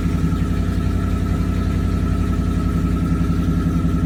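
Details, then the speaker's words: First startup of Ford 3V (old car, slight oil leak) after fitting Ford Performance intake manifold and throttle body, stretched intake hose: fast, uneven pulsing idle with faint steady whistle; rough idle, cause unclear. "That was terrible."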